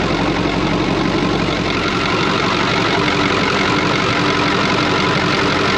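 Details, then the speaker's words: Brockway 358 truck with a Cummins 555 diesel, just after a valve adjustment in which loose injectors were adjusted and the intake valves tightened. Idle is steady and even with a smooth firing beat, no knocks or misses; running healthy. "i'll be honest with you it sounds so much freaking better all i did was literally all that i really did was we just adjusted whatever injectors were loose and uh tightened up pretty much all the intake valves wow it's snapping holy crap did you guys hear that that sounds good"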